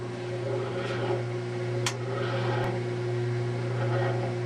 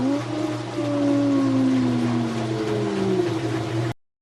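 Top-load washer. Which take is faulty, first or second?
first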